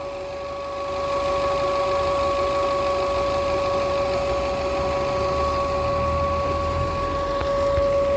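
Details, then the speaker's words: Car engine, normally very quiet, idles evenly while a steady mid-pitched hum holds constant over the normal roar; abnormal hum, cause unknown. "E esse motor é muito silencioso, muito mesmo. Faz barulho de nada. Esse zumbido que vocês estão escutando é algum defeito."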